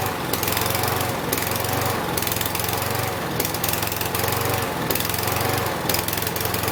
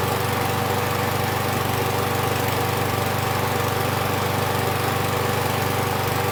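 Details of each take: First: Husqvarna 6021P mower, Kohler single-cylinder: low chugging drone rising and sagging every second or two, surging idle; test after cleaning under the idle adjustment screw, idle adjustment next. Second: Husqvarna 6021P Kohler mower engine after the part under the idle adjustment screw was removed and the idle screw adjusted. Steady, even putter with no surging; the owner notes it may also just have warmed up.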